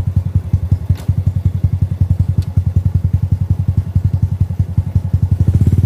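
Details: Second-generation Honda Supra Fit X that stalls after the throttle is released but restarts on the second kick, still sparking: slow, uneven, heavy low thumping with no power before stalling.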